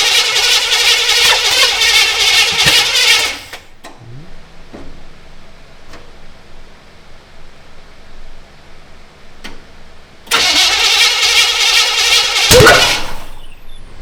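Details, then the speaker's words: Restored GMC 9434 1-ton V8 truck on its first starts: loud cranking and catching, then a sharp pop out the carburetor as it backfires and the carb catches fire; loose distributor and timing suspected, fuel leaking at the filter. "Whoa, it's on fire again. That scared the shit out of me. Does that make you jump a little bit?"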